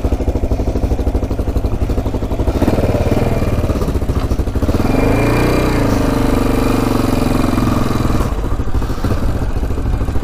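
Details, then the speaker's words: Free abandoned Yamaha XT500, believed 1980, sat over 20 years, first ride: deep single thump climbs then flattens and won't rev out, sputtering; owner suspects air box restricting air, pipe and filter removal didn't help. "first ride uh wasn't the greatest in the world um it just wouldn't rev out"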